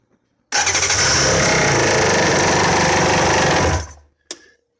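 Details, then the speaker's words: 2000 Sea-Doo GTX DI two-stroke, first start after rebuild, pump not fitted and low on oil: fires up loud and raspy, then shuts off after seconds; exhaust leak around the V-band. "an exhaust leak somewhere around that stupid V-band."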